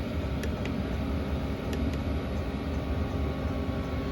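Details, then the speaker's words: Newly installed diesel heater on its first start-up, still purging air from the fuel system: steady even low roar, no misfire or sputter, loud for now and expected to quieten once down to heat setting 1. "Within a couple of more minutes we'll get the rest of the air out of that system. So it is a bit noisy just now because it's the first start up."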